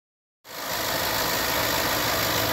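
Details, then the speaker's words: 2011 Land Rover LR4 V8 at idle: after a short silence it settles into an even, smooth idle with only normal belt and accessory noise and no timing chain slap. "There is none. No slapping noise. Nothing like that. Just standard ancillary noise, motor noise."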